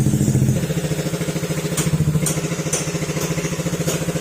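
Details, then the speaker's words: Honda ADV150 scooter at idle after the engine repair, with sensors refitted and fresh oil added: a steady, even exhaust putter with no knock. The earlier metallic "tok" is gone and only the muffler noise remains; normal idle. "medyo hindi maganda kasi yung tunog niya mga sir dahil sa tambucho. Pero tahimik na."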